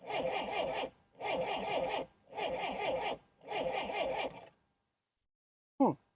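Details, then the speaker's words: 1960s Homelite 55HP Stingray outboard boat motor: four even horn blasts about a second apart, engine not running; neutral warning horn sounds and cuts cranking, engine only cranks in gear, owner suspects misalignment. "it seems like it only wants to start if it's in gear if you put it into neutral where it horns it uh it won't crank at all it like cuts the the cranking"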